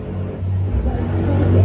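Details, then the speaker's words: Prize crane game during preventive maintenance cleaning; motor still growls after greasing and being filled full. Low steady growl rising slightly as it runs; owner unsure of cause or fix; motor growl. "yeah know everything's still making that noise I mean it's still growling um not sure what to do to get it to quiet down but no one's complaining about it"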